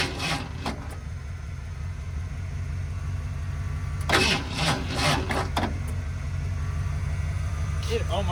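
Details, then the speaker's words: 1978 Ford F-150 plow truck, sat about a year with bad gas, carburetor rebuilt, new tank: steady low churning crank runs on with a few stronger bursts where it almost catches, but won't fire; long crank, hard start. "came to life right there I let off the key cuz I thought it was going to going to do it again this thing will run"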